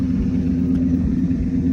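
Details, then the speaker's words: 2003 Ford Excursion, V10 Triton, at idle: low rumbling with an uneven, stumbling beat; misfiring badly. "She's misfiring bad."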